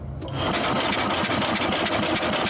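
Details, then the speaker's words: 1966 Simplicity Sovereign lawn tractor, Briggs points-ignition engine: fast even cranking whir with no firing; points not closing/actuating properly, no spark, cranking no-start. "Okay, there's no spark. All right, stop. Bring it out. Try again."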